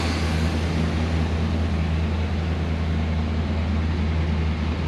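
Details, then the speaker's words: Abandoned K5 Blazer revived after cranking and a squirt of starter fluid: steady, even low rumble with no knocks or misses, 40–50 psi oil pressure; healthy normal idle. "Well, after a little bit of cranking on it and gave it a little squirt of starter fluid just to hear it run again, and man, she started up and now she's idling. That engine sounds healthy."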